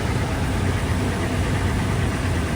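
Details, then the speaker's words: 2019 Toyota 4Runner Limited just after oil change with 6.6 quarts 0W-20 and new filter, heard from under the vehicle: smooth, even low rumble at a steady level with no knocks or ticks; runs good, no leaks, normal idle. "All right, guys, so we're up under the car. She's running good, as you can see. No leaks. No leaks."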